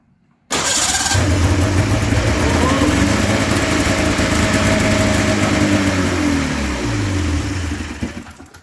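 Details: Polaris snowmobile, new fuel pump fitted, primed with gas poured in: fires and revs hard several seconds, then sags, stumbles and dies; owner unsure whether spark or fuel, guesses not fuel; starts then bogs and dies.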